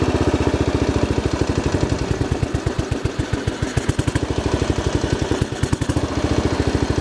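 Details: Royal Enfield single after stripping and cleaning, needle level readjusted; uneven idle thump, stumbling and coughing about every second; revs sometimes hang high, mixture screw very sensitive; owner suspects air leak or something still blocked.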